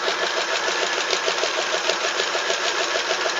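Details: Vintage Toro golf-green tractor mower, later an airport tug, started on jumper pack; small engine running steady at about three and a third beats a second, even ticking with no knock, sounds healthy.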